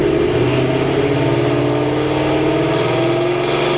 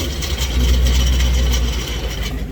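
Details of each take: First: White Vortech supercharged 2019 Mustang, exhaust damaged by a burble/decel-pop tune, now with an MBRP X-pipe: deep engine note rising and falling through a few blips, settling evenly with no rasp or rattle; normal healthy exhaust sound. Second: White 2019 Vortech-supercharged Mustang with stock exhaust after a decel burble-and-pop tune: deep V8 rumble with a loose, uneven tinny buzz; baffles inside the stock resonator (suitcase) have come loose and rattle.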